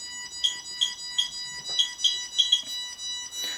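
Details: QSAFE QSF-104, RADEX and Smart Geiger radiation meters compared, with a source in a partly open lead shield taken out at a position reading about 0.45 µSv/h. Short high-pitched chirps repeat about every third of a second in a quiet room: a raised-dose alarm.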